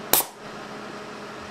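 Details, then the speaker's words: Small air cannon with a 24 VAC 1/4" NPT solenoid valve fired at 100 psi: one sharp crack of released air, then quiet; the valve opens cleanly and works reliably at this pressure. "and we fired 100 psi again and again it works very reliably at 100 psi"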